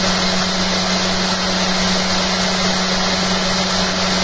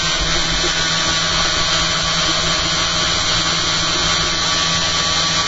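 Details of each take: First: Home-built eccentric bobbin and magnet holder rig with soft starter, after fitting new holder and curing rattles: steady low hum with light even brush hiss from motor commutator, no knocking; now much quieter. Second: Spinning rig with new eccentric bobbin and magnet holders, battery powered, 280 mA into a 6 V load: steady high rotor whine with a buzzing rattle from something loose; suspected magnets not set properly in the bobbin holder. Vibration.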